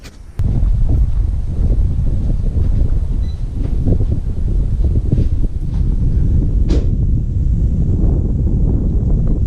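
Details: Mercedes after rear subframe replacement, first start on the ground: steady deep engine rumble at an even pace with no knocks or clunks; the car is running normally.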